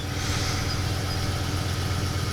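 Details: 2007 Ford F-150 after replacing a corroded fuel pump module that caused a no-start; steady, even low thump at idle with no misses, knocks or hunting; check engine light still on; normal idle.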